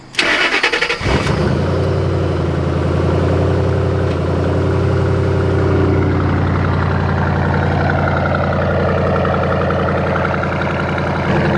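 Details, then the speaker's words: Ford Mustang GT 3V V8 cold start after installing a Holley 300 LPH drop-in fuel pump to replace the old pump: cranks about a second, catches cleanly into a steady, even high cold idle; healthy start. "cold starting a bad minute I miss the way this thing sounds"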